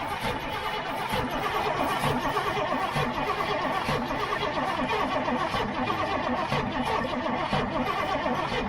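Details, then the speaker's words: Old gasoline GMC bucket truck, choke pulled: steady even cranking that never fires; no fuel seen entering carburetor, owner suspects stuck floats or metering valves. Crank no start. "see there's no fuel so I'm thinking that like Floats or metering valves or something yeah are probably going to be stuck"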